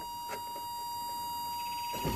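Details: 1985 Toyota MR2 pop-up headlights: faint brief motor whir under a steady tone, ending in a soft clunk as the headlights finish moving; normal operation.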